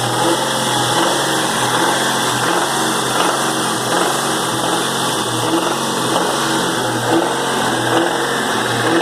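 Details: 2001 Cobra 4.6 4V engine, 78,600 miles, revving and idling: light repeating knock most noticeable off idle and under light load; cause undetermined.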